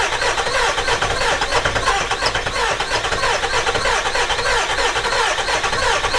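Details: 7.3 Powerstroke turbo diesel E350 van, long sitting: steady fast rhythmic starter churn, engine never fires; owner suspects IPR valve or low oil not being picked up; crank no-start, cause unconfirmed.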